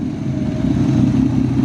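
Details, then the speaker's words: BMW E36 M52b25 straight-six budget turbo build, first start after much work. A smooth, even note rises under light revving with no ticks, knocks or roughness, and zero blow-by: healthy engine revving. "we have come to the end of this video of the success of this video because that's the noise you can hear and that's the car running beautifully"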